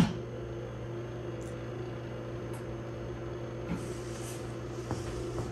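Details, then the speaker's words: Snapmaker 2.0 power module fan after replacement with a 24V 35x10mm hydraulic-bearing brushless fan: only a faint steady low hum, no rattle or whine, down from vacuum-cleaner loudness; normal quiet fan. "my snapmaker power module fan is running right now and i can barely hear it it's made a huge difference so it's changed from the sound of a vacuum cleaner going all the time to a light office conversation"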